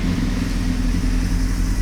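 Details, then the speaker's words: 1998 Honda CBR600 whose carbs may need syncing and which was slow to fire: low, fairly steady idle with slight roughness that smooths with a touch of choke; a lean condition is suspected. "so it runs but it has a little bit of roughness to it and I think that is because of a lean condition"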